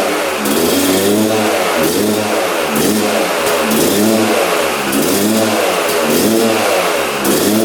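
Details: 1997 Yamaha YZ250 two-stroke, previously non-starting, on choke with fuel on: fires first kick, then surges and drops about once a second, never settling to a steady idle; won't hold idle.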